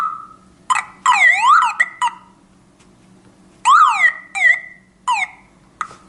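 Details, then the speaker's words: Old car alarm siren bursts into loud sweeping, warbling wails in uneven groups after its black power cable is reconnected. "then when I like to again listen this music I only insert the set my this uh black cable back and we have nice music"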